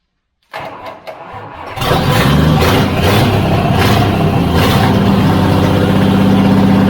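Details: Project Toyota FJ40 Land Cruiser engine, first run. A few cranks, then it catches and settles into a steady idle. Oil then sprayed from a cut-off hose at the oil pressure gauge port, which shows the oil pump works.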